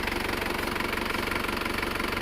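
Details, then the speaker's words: Isuzu Panther Grand Touring Euro 2 diesel after engine rebuild for oil burning and blow-by, injection timing retarded: soft, even clatter with steady pulse and no harsh knock; normal diesel idle. "Nah, kalau ini mantap ini. Suaranya halus, tidak terlalu kerang ini. Seperti inilah suara yang kita cari. Suara mesinnya halus dan tidak atos, suaranya empuk."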